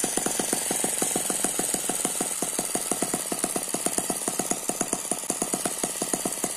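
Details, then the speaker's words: Eachine ET9 (M15) mini gasoline engine, a balanced single cylinder with twin internal counterbalances, running on a tarpaulin: fast, even popping beat at a steady, unwavering pace; healthy, very smooth running. "very smooth so that's a very smooth running engine it does not dance around the main vibration here is because it's on top of this this tarpaulin"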